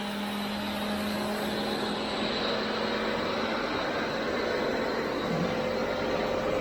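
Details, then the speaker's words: 75 hp well pump motor after the destroyed pump/motor coupling was repaired, ramping up for a vibration-switch fault test: steady hum rising slightly in pitch, no knocking or grinding; healthy. "The pump's going to ramp up. I'm going to trigger the fault, and then you're going to reset it."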